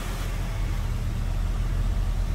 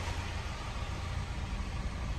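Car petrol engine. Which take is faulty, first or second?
first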